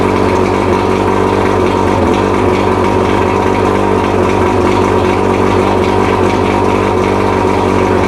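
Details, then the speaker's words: Mercury 115 two-stroke outboard, first run after rebuild combining two engines to cure a worn-piston knock, on water supply: loud, steady even idle burble with no knocking; normal idle. "Fucking sounds amazing. Yeah. Sounds a whole lot better than it did. Yeah, I know. When you sitting here last time. Yeah, none of that knock stuff."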